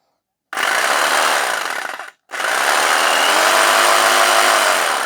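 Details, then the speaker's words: Vintage power tool, cleaned up after storage: motor spins to a steady, bright buzz, cuts briefly, restarts and runs evenly with no rattle or grinding; normal running. "that actually feels very good it's probably much better quality than what you'd buy these days"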